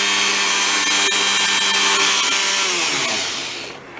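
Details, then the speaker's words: Previously binding tool at full speed: high, steady whine with no pulsing or grinding, then a smooth falling pitch as it coasts down; bearings and motor sound healthy. "runs very nice now so we'll pause we have to show that"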